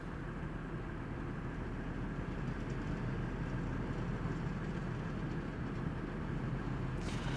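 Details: 1999 Ford F150 4.2L, warm idle after fixing backfire, misfire and P0174: steady even low rumble with no misses, pops or stumbles; fuel trims within about 2%, engine running smoothly.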